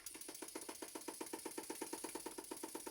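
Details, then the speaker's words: Stuart Models No. 10V model steam engine on air test after valve timing set: loud sharp knock about seven times a second in step with rotation, like a pneumatic drill; flywheel found loose on the crankshaft. "I can feel that the flywheel is loose on the crankshaft and that would explain why the engine is making a loud knocking sound"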